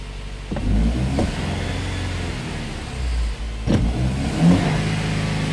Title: X-trail High idle